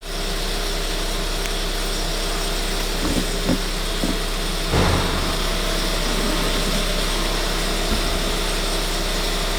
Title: 1.4 TSI 160 - Timing chain noise